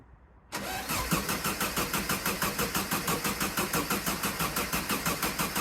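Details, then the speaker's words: VW sand rail dune buggy stood 18 months, third attempt after new wiring and a new coil: steady rhythmic cranking, about three pulses a second, never catches; crank no-start, though fuel smell comes from the exhaust. "Still nothing. Right, I can smell fuel coming through the exhaust, so that's a good sign."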